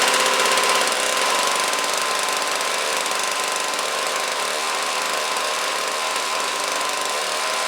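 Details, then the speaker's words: Snowblower with replacement 2-stroke engine transplanted after the original seized and threw a rod, shelf-stored engine, pull/key start: fast even buzzing note, steady speed, no misfires or rattles; normal running. "awesome there we go guys runs like new"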